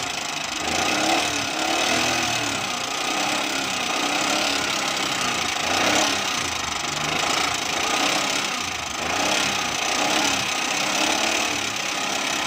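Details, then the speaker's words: Engine knocking heard close-up through a stethoscope at idle: a loud, busy ticking clatter pulsing evenly, from loose valve clearance; tappet noise. "दोस्तों यह बात हमने check किया इसके पापड़ की आवाज़ ए रही है बहुत तेज आवाज़ है कानों से [संगीत] बाहर ए रही है"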